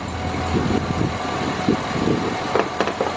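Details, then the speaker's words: 2007 Chevy Suburban at idle, listening at the belt tensioner pulley: dry rough whirring with light ticking from the ungreased bearing spinning; serpentine belt also glazed; tensioner pulley and belt to be replaced. "then we go down to this Idol tensioner and I can actually hear the bearings spinning inside that tension I mean you can actually hear that it has no grease and is actually spinning"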